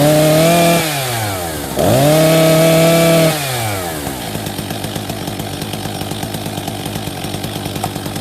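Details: Husqvarna 262 XP chainsaw after new clutch drive sprocket and bearing fitted and greased (earlier failed decompression valve); started on choke then fast run, two throttle blips then steady even popping idle; runs normally.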